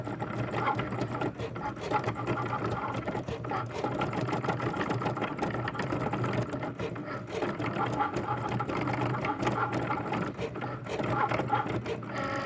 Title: loud noise from my cricut